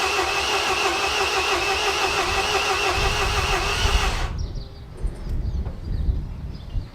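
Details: MINI R56 1.6 HDi DV6 diesel after extensive work including timing belt: starter spins evenly about four seconds with no firing; cranks but won't start, owner suspects fuel delivery, timing belt or compression.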